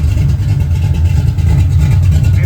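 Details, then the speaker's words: 1980 Camaro Z28 with freshly rebuilt big-block Chevy (Patriot heads, 1.8 rockers, Howard's hydraulic roller cam), first fire-up: loud, deep, steady V8 rumble with even lope, no knocks or ticks; runs great, owner thinks maybe slightly rich, needing tuning. "They're running great. Listen to that thing. Might be a little rich. Might need to tune it a little more."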